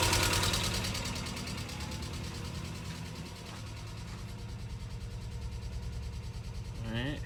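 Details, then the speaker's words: Subaru EJ22 first start after engine reinstall, idling cold in neutral: rapid light ticking, about three per second and steady, over a rough idle; valvetrain ticking, possibly lifters. "definitely some weird sounds two weird sounds there's that tick which you could probably hear"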